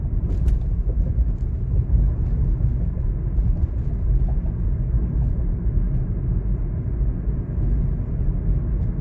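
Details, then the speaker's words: 2016 Toyota Corolla, 73,000 miles, driving over bumpy uneven road after greasing front lower control arm rear bushings: only road rumble and tyre thumps, no creak, groan or squeak; fixed. "now it's still quiet yep it's definitely a rap that uh definitely solved the issue I have no more moaning or you know bushing creak or squeaking or anything like that"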